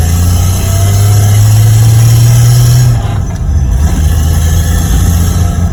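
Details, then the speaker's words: RB25-engined Nissan Cefiro, new LSD diff fitted in place of the old chirping locked diff: engine drones steadily through a tight turn with no chirp or scrubbing from the rear. Normal tight turn. "Oh, look at that, listen to that, no fucking chirping. No what? No, remember how it used to like chirp?"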